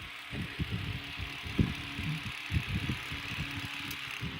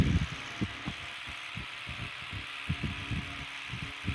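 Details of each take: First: Antique electric fan run at about 80 V: irregular low clattering roughly once a second over a steady motor hum; the guard cage is loose on its clips and rattling. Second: Antique electric fan run at reduced voltage (about 80–81 V): soft low-speed motor hum with light irregular thumps as the armature slides end to end, which is normal; blades don't hit the cage, with fan airflow across the smartphone microphone.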